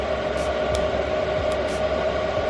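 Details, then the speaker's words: Chinese diesel air heater in a bus conversion, running on a low setting after priming and lighting; steady soft whir with a constant mid-pitched hum and no ticks or rattles, exhaust sounding jet-like; normal running. "you can probably hear it, and it sounds like a jet engine. That's the exhaust coming out. So that means the flame is lit inside."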